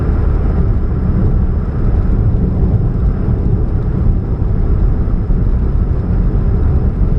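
Deep, steady low hum with little else on top while running; sounds like an exhaust leak droning near the catalytic converter.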